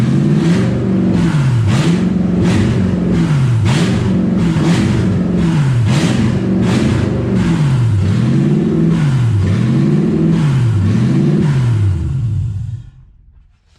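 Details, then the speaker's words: Toyota 1UZ V8 in a Ford Falcon, unmuffled with no exhaust, oil pressure 90+ psi; high idle surging about every 1.3 s; owner suspects idle air control valve, possibly vacuum leak. "It has an idle problem that I need to figure out. It might just be the idle air control valve."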